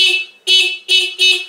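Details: Scooter horn after loosening the adjustment nut and adjusting it (previously only clicking), now four short bright toots, each a clear steady tone: normal horn operation.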